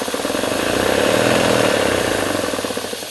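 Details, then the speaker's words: Three-phase air compressor running on single-phase 230V through a VFD at 50Hz: the pump thumps at an even pace of about three beats a second with no harsh surge. Normal soft start. "now what you did what you should notice immediately is that it's got a much smoother run up than than a normal compressor"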